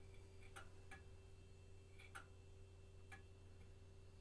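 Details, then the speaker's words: Vintage 1990s Packard Bell A940-TWR desktop from a thrift store at first power-up: faint, irregular hard drive clicks a few seconds apart over a steady low hum; drive sounds old and unhappy, no video initially. "oh that hard drive does not sound happy come on you can do it i believe in you"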